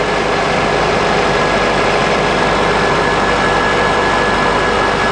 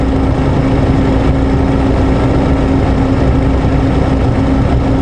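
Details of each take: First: 2003 Honda Accord 2.4 at warm idle after alternator replacement for a whining noise and undercharging (11.5–11.9 V); steady, even idle with a faint constant whine, no knocks or grinding; alternator no longer overheating. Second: 2003 Honda Accord 2.4 idling just after start: a steady whining hum. Voltage was dropping to about 11.5–11.9 V and the thermal camera shows the alternator over 250 degrees, so it is a failing, fried alternator.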